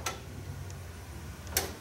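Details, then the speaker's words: Ford F-150 with intermittent no-crank, no-start: two crisp clicks about a second and a half apart each time the key turns; ignition switch and relay confirmed good. "Good. So, it's uh we know we have good control here. We know the ignition switch is good inside and we know that relay is good."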